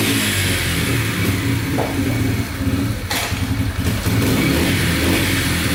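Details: Yamaha TTR125 dirt bike (believed 2003) after top and bottom end rebuild, following a bad knock from running out of oil; crisp free revs rise and fall cleanly, no ticking or knocking; runs and sounds really good.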